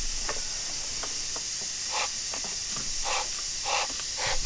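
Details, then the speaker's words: 2008 Mercury 225hp Optimax gearcase, removed after water was found in the lower unit, under pressure test: steady airy hiss with short puffs; confirmed air leaking past the prop shaft seals. "so let me see if I can just say it looks to be like a prop Chad feel yeah it's definitely prop shaft seals"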